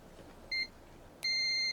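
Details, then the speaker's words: Multimeter set to continuity before testing a garage door opener's switches: two clean high-pitched beeps, a short one then a longer one, confirming the correct function. Continuity beep. "okay so when I hear that I know I'm in the right so for this one I had to change the function it's a bit annoying me but anyway uh that's what we're dealing with at the moment"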